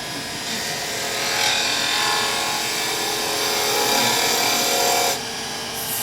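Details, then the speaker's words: Skew chisel cutting on a wood lathe: a harsh, rapid rasping chatter of about four bursts a second. The skew lost its bevel contact and is bouncing. "did you hear that chattering a little bit I lost the pebble"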